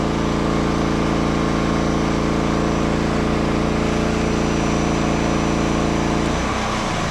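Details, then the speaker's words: New Champion 4500 W dual-fuel inverter generator during 5-hour break-in, heat gun giving about 50% load: steady even drone, firm low hum, no knocks or misses; rpm rises slightly under load, running healthy. "so youve got about half half the load on it now it's 50% of its load and uh you you can hear the the RPMs of the generator go up a little bit"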